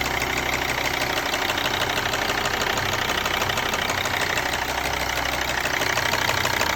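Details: Mercedes ML 270, OM612.963 diesel idling: ticking at idle seems normal for this engine, but underneath there is a duller, irregular banging that isn't normal, heard as an engine rattle.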